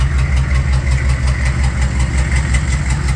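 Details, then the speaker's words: 1993 Chevy 6.5 diesel idling, misfire at its worst: rough uneven chug with a stumble about three times a second that goes away when revved; owner rules out injectors and lifters. "and this is how it sounded when it was missing worse than others this is about the worst that can"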